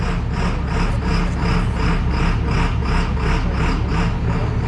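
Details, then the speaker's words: John Deere 7800 diesel tractor working ground in tacky field: heavy low drone with rhythmic grunt pulsing about three times a second under field load; owner unsure whether it is a fault or normal for the tractor's design. "guys hear that grunting? Is that normal? Or is that just me? I don't know. Could just be the way the tractor's designed too, why it's doing that."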